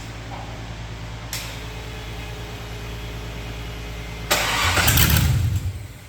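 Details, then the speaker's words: Fatsun LS V8 swap with new plugs and completed wiring: a lumpy idle, then revs pick up better, but starting is still bad. The cause is unknown and an OBD scan is planned. "the revs sound better but the uh it startup is still bad so we're going to check it with OBD scanner"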